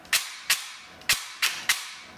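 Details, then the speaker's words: T238 tool fitted with new brushless motor and new piston: five sharp crisp piston-slap snaps with no motor whine or gear noise behind them; cycling cleanly and quietly. "I can barely barely hear anything but the Piston slapping like I don't hear any gear noise or anything now one from the motor nothing just the slap of the piston"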